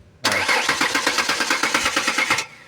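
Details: Ford Explorer that sat unused for almost 5 years: the starter cranks at a steady, quick chug for about two seconds but the engine never fires; crank, no start.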